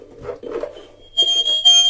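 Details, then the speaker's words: Homemade microphone preamplifier and amplifier test: steady high-pitched squeal building in bursts over room sound, acoustic feedback because the speaker faces the microphone; amplifier otherwise works. "straszne są piski ale ewidentnie wzmacniacz działa piski zawsze występują gdy gdy głośnik jest skierowane strony mikrofonu"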